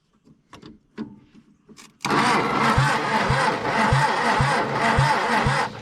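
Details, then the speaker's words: 1962 Hillman Minx parked 40 years: steady cranking at about two compression beats a second, never catches; spark confirmed at the plug, so lack of fuel is suspected; crank, no start. "it's getting sparked that's all fine and dandy now so we're getting spark we must not be getting fuel"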